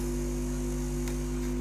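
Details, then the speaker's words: Leak Varislope 2 valve preamplifier under restoration, heater supply slightly low, speakers connected, no signal input, tape head selected. Constant low buzzing hum that varies with volume; slight hum on mic input, none on tuner. "okay i've got it connected speakers and as you can hear us making a lovely humming noise which varies with the volume"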